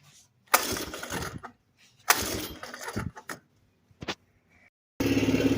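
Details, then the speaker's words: Kawasaki KLT160 mini Prairie Dog ATV, sat for years with good compression, first start after carb cleaning: cranking bursts catch and stumble into a rough, sagging idle, bogging. Owner suspects it needs a bigger main jet. "So it's running. It's just kind of bogging a little bit. Alright, so we got it running, but she's not running so good."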